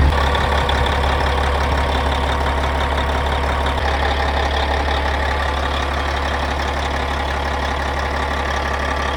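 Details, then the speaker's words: Caterpillar 3406E diesel from D350E Series 2 haul truck, shop test run, a little warm: steady even idle clatter with firm low rumble, no misses or knocks; good oil pressure, no bad blow-by despite rear oil leak; sounds healthy. "it's held good oil pressure the whole time it sounds good it runs good I think that's good enough for me"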